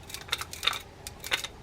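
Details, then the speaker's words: Penn Senator 3/0 fishing reel being cranked: crisp clicks with a knock and a catch about every third turn, the reel hanging as something binds inside; blamed on operator error without opening the reel, cause not confirmed. "C about every third turn here it's hanging it's got a kind of a knock in here and it's hanging"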